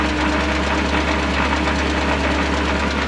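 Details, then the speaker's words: 1964 International 1700 4x4 tow truck, V345 two-barrel small-block V8, revived after sitting: idling on its own with a steady low drone and even beat; charging, not knocking, smooth healthy idle. "buring like a kitten sitting here idling all on her own"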